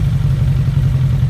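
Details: 2001 Suzuki Bandit 1200S four-cylinder after carb sync with a vacuum gauge kit: deep, steady, even idle burble, no misses or hunting; carbs balanced and healthy.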